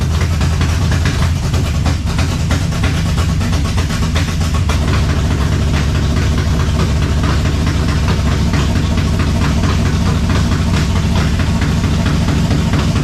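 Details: 1970 Chevelle V8 with Holley Sniper 2 fuel injection, alternator unhooked, warming up: deep idle with an uneven, loping beat and scattered irregular ticks; rough idle, suspected IAC, cap, rotor or valves, unconfirmed.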